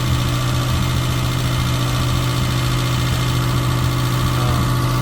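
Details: Suzuki Samurai on MicroSquirt 3.0 ECU, warm after Hall sensor pull-up resistor replacement, idling during idle tuning: smooth, even idle with steady low hum, no misses, ticks or hunting; normal idle.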